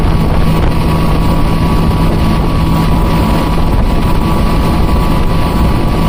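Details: Mercury Verado 350 supercharged outboard running with the top cowlings on, checked for a suspected supercharger noise: a steady, even drone with a faint constant whine over water and wind, no scream; running normally and much quieter than with cowlings off.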